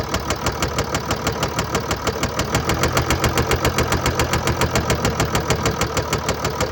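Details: 2013 Mercedes-Benz E350 4Matic, 2987 cc diesel, 195 kW/265 PS, engine code NZAAB501, 224,763 km, idling: a steady knock about three times a second over the diesel clatter. Bearing damage and a defective injector are stated.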